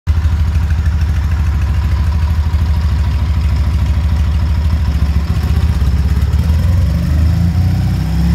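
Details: K-750 twin motorcycle during carburetor synchronization: loud low burbling at fast idle, slightly uneven beat that shifts near the end as the carbs are balanced.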